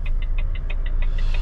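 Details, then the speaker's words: Lorry (diesel rumble) indicator relay ticking fast, about six a second, hyperflashing because a bulb has failed somewhere; to be checked later. "We've got a bulb gone somewhere."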